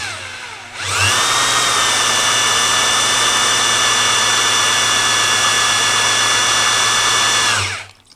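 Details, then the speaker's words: Oldsmobile 455 oil pump primed with a drill turning counterclockwise, filled with 7 quarts Driven BR30 5W-30 break-in oil, manual pressure gauge fitted: steady high drill whine under an even load as the oil filter fills and back pressure builds; normal priming. "Yeah, I'm hearing the oil filter cycle with oil. There we go. I'm starting to get a little bit of back pressure here."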